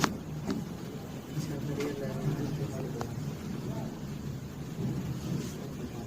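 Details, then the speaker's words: LG top-load washing machine on spin mode after replacing loose shock absorbers: steady low rumble at high spin, no knocking of the tub against the cabinet; vibration and noise fixed. "अब आप देख सकते हैं दोस्तों इतना speed चलने के बाद भी आवाज नहीं कर रहा है"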